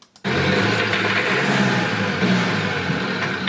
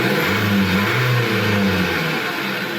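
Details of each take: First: Dacia 1.5 dCi diesel van misfuelled with petrol: running rough with a heavy, uneven rod-knock-like knock, some smoke and almost no power; a stuck-open continuously injecting injector can cause the same knock. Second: 2021 Dacia Dokker 1.5 dCi with AdBlue, misfuelled with petrol so it ran badly and sounded like rod knock; after cleaning the fuel circuit and adding diesel, it runs with an even, steady low drone and no knocking or missing; normal idle.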